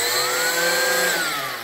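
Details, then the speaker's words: 3D-printed burst-fire Rival blaster, blower driven by a Valkyrie motor, flywheel by two Krakens: blower winds up to a high whistle that holds, then sags as it spins down, with a light rattle underneath, later traced to a loose bolt. "You can hear it whistle and rattle a little bit. I don't know, probably some something's still a little bit unbalanced, but it's probably not too bad."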